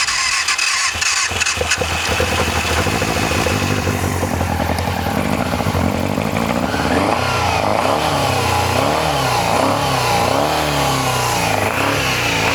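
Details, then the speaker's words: Yamaha FZR400 after carb rebuild kit, new No. 4 carb and battery. Tank off, a syringe of fuel, starter solenoid bridged: catches after a rough start, then settles to an even idle with clean rev rises and falls. Runs healthy. "She sounds healthy."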